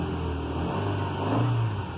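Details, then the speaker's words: Ford Ka, cold start after several days sitting at about 6–7°C, on jump pack, after coolant temperature sensor replacement fixed hard cold starting: starts quickly, engine picks up cleanly under a quick blip, steady drone rising and settling evenly, no misfire, revs smooth. "started up nice quickly it's running smooth if i rev it up"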